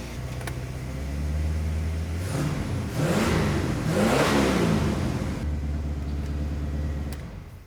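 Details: 1984 Chevrolet Corvette C4 Crossfire V8, revived after 20 years, after brake booster replacement and brake light switch readjustment: engine blips up and settles to steady idle, earlier brake vacuum hiss now gone; normal engine revving.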